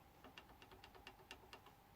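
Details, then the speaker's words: Light dry clicks about five a second from a loose press-fit tuner button rattling on its shaft on a Blueridge guitar's budget tuners. "hear that and it's this guy that's loose now these guys are obviously like a pressed fit"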